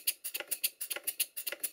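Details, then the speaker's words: Stuart Twin Victoria model steam engine with loose valve gear, crosshead and big-end play runs with sharp rapid metallic knocking, about seven per second, like a pneumatic drill; reluctant to start; piston suspected hitting cylinder cover at full rod extension. "The best thing to do is to run it. And the first thing that becomes apparent is it sounds like a pneumatic drill."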